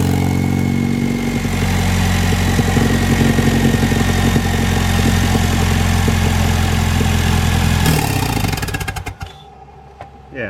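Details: Ford Mustang 2.3L turbo idling with missing gasket between turbo and downpipe flange (soot visible, check engine lights): even idle with quick sharp puffing tick over exhaust note until shutoff; exhaust leak at turbo downpipe flange, before gasket install.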